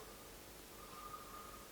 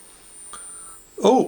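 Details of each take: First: Murphy Type 350 television, cold first power-up after long warm-up, speaker clipped on: only faint steady low hiss with brief thin tone near end; audio stage barely coming alive, no programme sound yet. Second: Murphy Type 350 television, first cold power-up, 10,000 V HT measured: thin steady high-pitched whistle; line output transformer running normally, with frame collapse and no sound.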